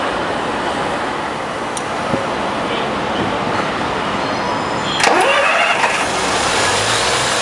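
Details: Heuliez GX417 CNG city bus: long starter churning with no clean catch, brief flare then cranking on; hard starting, cause unclear.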